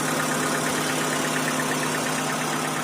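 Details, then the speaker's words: 2012 Hyundai Accent petrol/CNG, which came in with a loud engine noise, heard after the tappet work: the warm engine now idles quietly and evenly with a soft hum and no top-end tapping. Normal idle. "अब बहुत सुरीली आवाज है इसकी और अभी चलने के बाद में देख रहे हो बिल्कुल एकदम साउंडलेस हो गई है"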